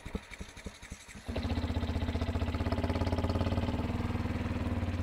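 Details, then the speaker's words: Yamaha WR125 single warming up before oil change idles fast and stays high instead of dropping; split boot on the inlet manifold leaking air, fixed by fitting a new boot. "I just realized this or just noticed this bike ticking over quite quickly what we've done is just looked on the carburetor well not the carburetor but the inlet manifold and the uh the boot on the inlet manifold is split"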